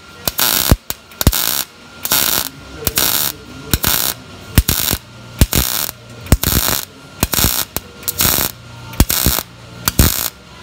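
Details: Miller MIG welder, manual pulse technique on 18-gauge thin butt joint, settings slightly hot: sharp crackling arc bursts about once a second with short quiet gaps; steady, even normal pulse weld.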